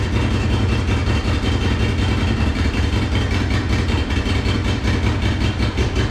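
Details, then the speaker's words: Monster golf cart build, first run after new fuel pump fitted: low uneven chugging, about three irregular pulses a second, sputtering as if running on one cylinder; rough running. "so it runs but obviously not well as you can hear it it sounds like it's running on one cylinder or you know it's just like sputtering it's not running good at all"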